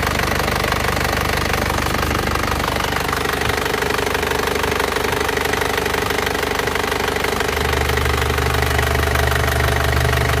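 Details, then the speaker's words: Isuzu Panther LS diesel after its engine was rebored with cast liners and its injector nozzles were serviced and adjusted, running Titan oil. It idles steadily with an even clatter of about two beats a second and no misses. It limped before; now it is smooth and smoke-free. "kita serviskan noselnya sekarang suaranya sudah menjadi bening dan halus seperti ini menggunakan Uli Titan Ya mobil ini halus"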